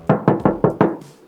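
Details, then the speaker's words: Project car bought by the shop, showing past accident damage: five quick dull thuds tapping the panel, no metallic ring, filler ("cement") under paint versus solid steel elsewhere; body filler in panel. "Pintu ni confirm sebab bila kita ketuk bukan bunyi besi. Tu bunyi simen. Beza dengan sini ni bunyi besi."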